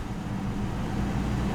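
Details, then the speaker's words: Police Interceptor from auction, 135,000 km: steady even low rumble just after start, no misses, knocks or rattles; healthy idle, no engine or airbag lights. "Yes. She starts up and look at that. No engine lights, no airbag light, and a quarter tank of gas."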